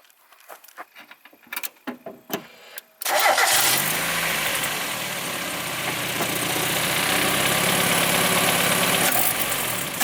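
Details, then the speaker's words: Mazda Miata after swapping throttle body and IACV from a parts car (CAS, AFM, TPS also swapped earlier): clicks, then engine catches into slightly uneven hunting idle; runs same as before, rough idle cause not found. "definitely this car runs exactly the same as it did before it idle is a little"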